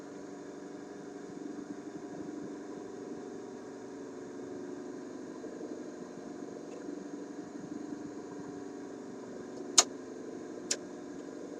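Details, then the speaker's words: Concerto AM/FM vacuum tube radio LL21552 during alignment, AM band tuned mid-band, signal generator not connected; only faint even hiss, low hum and a couple of clicks, no station: AM static, no signal received. "well I didn't receive it at all you know couple reasons for that one is I didn't have a didn't not have the signal generator did not have the signal generator connected"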